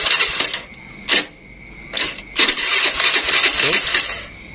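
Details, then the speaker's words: Old carbureted Honda Scoopy, weak-starter problem, after wiring starter circuit directly bypassing CDI, brake lever held; CDI socket not yet connected so engine won't run. Short bursts of steady electric whirring, starter spinning freely: normal starter cranking. "Di sini bisa didengarkan, cuma karena untuk soket CDI-nya, soket CDI-nya ini belum kita pasang, jadi motor nggak bakalan hidup."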